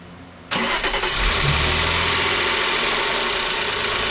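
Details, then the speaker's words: 2002 Volkswagen EuroVan VR6 24v, first start after rebuild, run only 5 to 10 seconds with no coolant or radiator fitted. It cranks briefly, catches and settles into an even idle on all six cylinders, the tone changing slightly once oil reaches the top. "it started it ran you could hear the tone change just a little bit slightly once the oil completely made it all up there um sounded great ran on all six cylinders"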